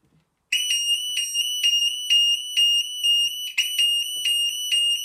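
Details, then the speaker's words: Burglar alarm sound bomb and strobe mounted in a vented bell box, test run: after a brief silence a loud, piercing high tone pulses about twice a second without faltering, so the siren is working normally. "So I've got my sound bomb and my strobe in here, my vented bell box, so I'm going to see what it sounds like."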